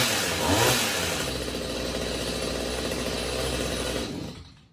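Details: Stihl HS45 hedge trimmer two-stroke, after repair (clogged carburettor jets cleaned; main fault was a blocked spark arrestor causing exhaust back-pressure): catches with a quick rev, holds a steady buzzing run, then shuts off; sounds healthy and clean.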